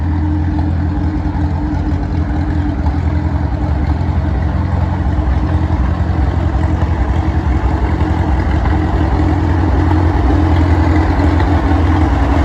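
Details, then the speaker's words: 85-year-old tractor idling hot after a new 3D-printed carburettor float and a rebuilt magneto: an even, steady low putter with no misses or knocks. The engine idles smoothly and runs sweet. "But yeah, can't complain at all. Sounds like it runs pretty sweet actually."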